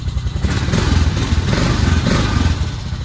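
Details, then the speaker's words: 2006 Honda Foreman 500 started after a long lay-up with a slightly slow battery: single-cylinder thump at a fast, slightly uneven idle, about four beats a second, no knocks or rattles; runs normally. "But sounds like herself."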